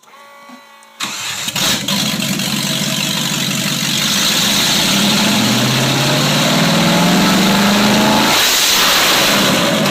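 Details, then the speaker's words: 1995 Range Rover Classic LWB V8 running on MSD Digital 6A ignition with stock coil, open headers: cranks briefly, fires, settles into lumpy loud idle, then clean rising revs; engine healthy. "1995 Range Rover Classic LWB with MSD ignition. Yes, it does run off of that because if you notice there's only 2 wires to it, so this car is actually running off the MSD Digital 6A. Open headers."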